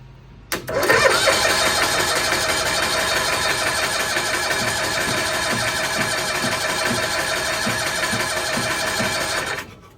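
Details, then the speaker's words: 1992-ish Cushman Truckster pulled from a field after years unused: starter churns steadily for nine seconds without firing; cranks but won't start, suspected no spark, later burnt wires found in a plug on the spark circuit. "Probably don't have spark. Be my guess."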